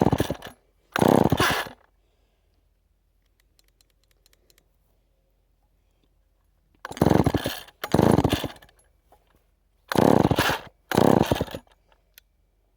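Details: Rebuilt chainsaw, cold start after sitting unused, low on fuel, full choke: short sharp bursts of firing in pairs with quiet gaps, catching and dying without running.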